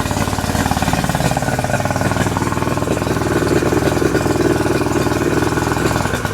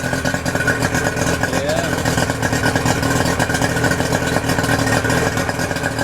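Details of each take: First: 2008 Yamaha 90 hp two-stroke outboard that sat unused, running in the rain after a new impeller was fitted and it pumps water again: uneven, lumpy idle with irregular popping. Rough running; owner says carburetors need cleaning. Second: 2008 Yamaha 90 hp two-stroke outboard after new spark plugs, fresh fuel, cleaned fuel filter: smooth, even burble at steady speed with no misses or surging, water stream popping well. Normal idle.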